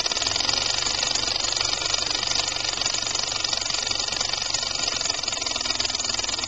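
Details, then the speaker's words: Homemade compressed-air engine with rotary valve, timing retarded and flywheel balanced, about 25 psi: fast even chuffing with air hiss, slow smooth running, no knocks. "That's good. Nice and slow. I like that."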